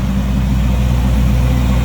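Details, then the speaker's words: 1939 Oldsmobile Series 60 two-door sedan with 350 V8, Edelbrock carb, electric fan, hood open in engine bay: deep, even V8 idle with steady low rumble, no knocks, misses or hunting; smooth, healthy engine. "350 V8 Edelbrock carb. Electric fan, power steering, power brakes, smooth running, good sounding engine."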